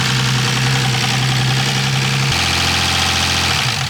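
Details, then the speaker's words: BMW E36 with freshly built engine, first start-up: busy idle with a loud, fast clatter on top from hydraulic lifters still full of air after the rebuild. "All right, those lifters are crazy loud."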